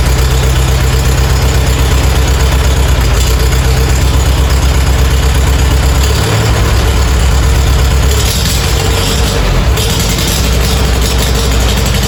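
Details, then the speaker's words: Farmall A tractor revived after 10+ years idle (new radiator, fan, belts, hoses); steady, low, even thumping idle with regular beat, no knocks or misses; normal idle. "cranked it right back up, but first pull of the crank, it just busted right off and it's sitting here idling."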